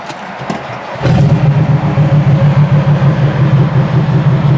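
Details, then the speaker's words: 1972 Lincoln on a 1200-mile road trip, about 150 miles into Pennsylvania, restarted after suddenly getting loud; deep, rapid raw chuffing about three beats a second; exhaust pipe found loose where it bolts to the manifold, an exhaust manifold leak. "So I went under the hood and took a look, and by the looks of it, the exhaust pipe, where it bolts up onto the manifold, it appeared as loose somehow. It got itself loose."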